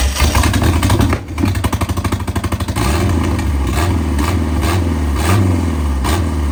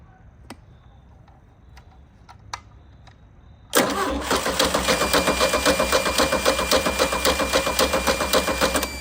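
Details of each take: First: 1987 MerCruiser 3.0 boat engine after more cranking: quick even cranking chugs, then it catches and settles into a steady continuous run; the engine runs. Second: 1987 MerCruiser 3.0 boat engine being revived, spark restored at the points, jumper wire to positive and fuel poured in: steady starter cranking at about four compression pulses a second, but it never fires.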